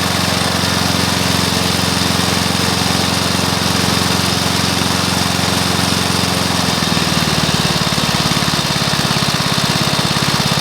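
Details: Briggs & Stratton mower engine (believed early 1984), first start after rebuild with new piston, rings and valves for oil consumption (loose rings, worn valves); steady even putter settling to lower relaxed beat partway, no knocks or misses; normal running.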